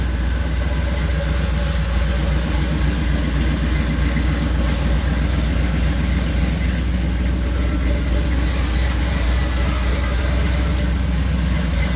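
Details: Supercharged Oldsmobile Cutlass V8 after a cam swap from a flat-tappet hydraulic cam, resealing and regasketing: deep, steady idle with an even lumpy pulse and no knocks or rattles; running smoothly.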